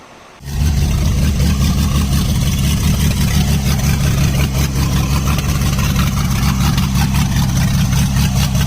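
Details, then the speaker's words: 1977 Ford F-250 Supercab V8, first run since 2021, electric choke not yet wired, open exhaust manifolds with no pipes: cranks, catches quickly, settles into a deep, booming, very loud unmuffled idle. "um but yeah this thing sounds like a race car it's so loud it"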